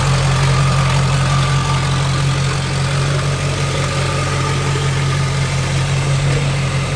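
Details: Junkyard LB7 Duramax diesel, 160K miles, first start in a bare frame-and-cab truck: steady even idle clatter about three pulses a second, no knocks or misses; healthy running motor.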